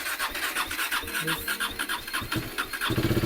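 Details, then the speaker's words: 2016 KTM Duke 390 BS3 (373cc), 27,837 km, parked a year with engine issues, first start: single-cylinder uneven idle with a rough rattly clatter and blue smoke. Cause unconfirmed. "This is the first start of the bike. The bike starts, but it's got a awkward weird noise from the engine, and there's also blue smoke coming out."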